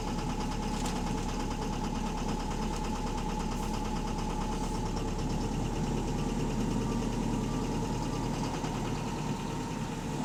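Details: Bus HV48 diesel on route 335 at idle: loose, fairly quick uneven knock about three a second from the bottom end; suspected rod knock, engine knocking unconfirmed.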